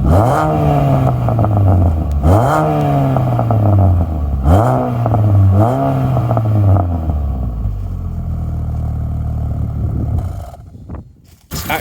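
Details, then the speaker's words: R50 Mini Cooper petrol, salvage category N non-runner just fixed and first started, damaged strut: four quick clean revs then smooth even idle before shutting off; runs smoothly, no rattles or noises. "running really smoothly isn't it rattles no noises idling nicely what a result"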